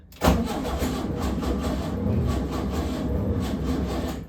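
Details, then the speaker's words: 1970 VW Beetle with a newly built starter circuit: the starter turns the engine over sluggishly and unevenly for a few seconds and never catches; a weak or dead battery is suspected. "Sounds like the battery is dead."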